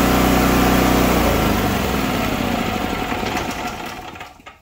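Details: Predator 4375 watt generator (barely ran, no power) started with alternator/electrical head wires isolated and disconnected; steady even drone, no knocks or surging, winds down smoothly at shutoff; engine runs normally, fault in electrical head.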